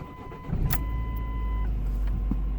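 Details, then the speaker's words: 2000–2011 Ford Focus just after fuel filter replacement, key cycled about five times to prime the pump and rebuild rail pressure: brief cranking catches quickly into a steady, even idle with no misfire; clean healthy start. "it's building fuel pressure back to the rails so I'm going go ahead and try and start it I turned it about five times"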